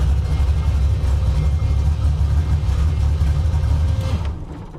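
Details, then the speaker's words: Carbureted car with an Anderson B61 camshaft and limited-travel lifters, idling: deep, choppy idle loping unevenly about three times a second; rowdy rhythm from the aggressive cam. "For anybody wondering, this car has an Anderson B61 camshaft in it. It's rowdy. It's got limited travel lifters, and we'll take this thing out in a minute and I'll really let you guys hear the camshaft."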